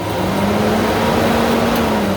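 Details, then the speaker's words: Junkyard Taurus electric fan on a Fox Body Mustang, wired with a BMW dual temp sensor and Volvo relay, tested on the blue low-speed trigger: steady, even whir with a constant low hum, running normally on low speed. "And this one, that sounds like low, and the white should be high."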